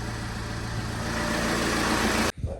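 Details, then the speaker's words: 2008 Vauxhall/Opel Vectra 1.9 CDTi 150 hp Z19DTH diesel, 139,471 on the clock, after timing belt replacement: steady, even diesel idle clatter with no knocks or misses for two seconds before shutting off; sounds healthy. "we're ready to start the engine oh sorry oh it sounds good to me"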